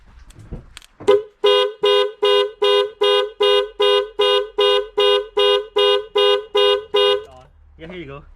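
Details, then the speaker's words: 1997 Lexus ES300 after a starter replacement, with a new battery just connected: the security alarm sounds about fourteen evenly spaced horn blasts, roughly two a second, which is normal after reconnecting power. "in a little bit definitely a little bit it's an alarm system guys so it's normal"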